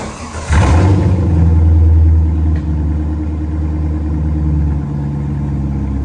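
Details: C5 Corvette after a rodent-infestation cleanup and rebuild, first start: quick crank, catches immediately, a brief rev, then a deep, even, healthy idle.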